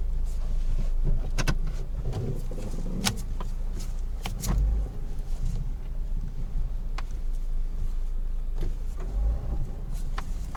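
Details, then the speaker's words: Peugeot 307 Estate on a rough-road test drive after a suspension overhaul including shock absorbers: only dull bump thumps over road rumble, and the earlier front knocking is gone. Quiet suspension. "I'm diving on the raw food and so so far no noise that noise I was hearing and at the time when the car had to go shock absorbers before we started"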